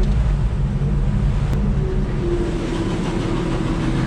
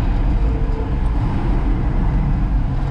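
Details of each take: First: 1966 Ford F100 with 300 six-cylinder and 4-speed, engine-driven onboard air compressor running at idle: steady low rumble with a tone creeping upward as the belt-driven compressor builds pressure; working, clutch in shuts it off. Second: 1966 Ford F100 with a 300 six-cylinder: rough, uneven rumble that slows with more gas but steadies and strengthens as the choke is pulled, indicating not enough fuel to air. Owner suspects a plugged fuel system needing a tank and carburetor.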